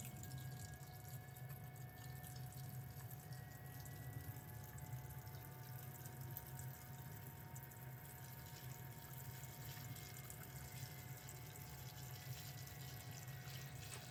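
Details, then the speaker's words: BMW X5 E70 N52, ignition on and engine off, electric water pump running a bleed cycle triggered by a Thinkcar S8 Platinum: quiet steady trickle and splash of coolant over a faint even pump hum, no gurgling surges; normal circulation. "so I don't know if you can hear the electric water pump working. But you should hear that. That's what it normally should sound like, so you know for future reference."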